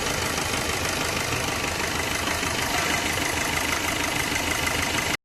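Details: Maruti Suzuki Swift diesel with about 150,000 km, after timing chain replacement and full service: smooth, steady idle with an even hum, low vibration, and no tapping, rattle or knock; oil leak fixed.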